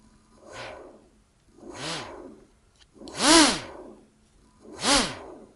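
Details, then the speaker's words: Single brushless motor on the ESC, with the second motor disconnected: four short whine bursts, each sweeping up in pitch then falling back as throttle is blipped, reaching maximum; clean normal run-up. "there it is almost to the maximum and reaches the maximum"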